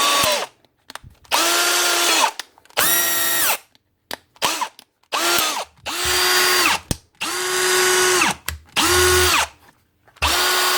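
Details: Milwaukee M18 Fuel brushless cordless drill after replacing a failed front rotor bearing and washing out packed-in debris; spins up in short trigger bursts with a clean, steady whine and no grinding, a normal run.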